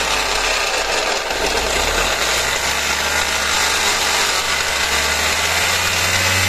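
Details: Car raised on a lift and running in gear, with a harsh gritty rattle and hiss over a low drone; noise present in neutral and in gear, confirmed in the transmission as broken crown and pinion gears.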